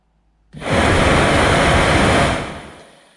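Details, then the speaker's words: 2006 Vauxhall Corsa C 1.2 interior blower motor, previously noisy and only working on setting 4, after cleaning and lubrication: spins up to a smooth, even rush of air and coasts down with no squeal or grinding, significantly better. "that I'd say is um significantly better"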